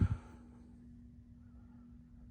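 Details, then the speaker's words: 1998 42-inch Encon Corinthian three-speed reversible ceiling fan on low, light on: faint steady motor hum after a brief knock at start, with audible scratchy bearing noise. "and it hums but it's not a bad little air mover actually got a pretty nice little breeze coming off of it on low although you can definitely hear the uh scratchiness of the bearings"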